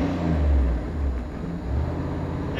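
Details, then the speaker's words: 1994 Dodge Dakota SLT revving freely with no load after the transmission lever kicked up into neutral when the accelerator was pressed. Owner suspects this caused last weekend's apparent slipping and failure to engage; engine revving in neutral. "I went to press the accelerator and that the tradesmen the transmission lever kicked up in the neutral that could be the problem I had last weekend"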